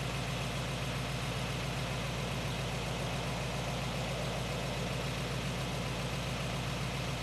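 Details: 1917 Cadillac convertible, original except engine fully rebuilt in the 1960s, warming up: slow even idle with a steady low throb, no knocks or misses; healthy.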